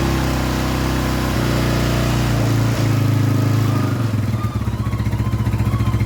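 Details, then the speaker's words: Scorpio motorcycle single, first start after timing chain replacement with a genuine part: the engine revs cleanly, then settles to a steady, even idle with no ticking or knocking. Healthy running; the valves survived without collision. "Syukurlah, bagian katupnya aman, kawan. Tidak terjadi tabrakan karena mesin bisa menyala . Itu artinya katup-katup tersebut aman."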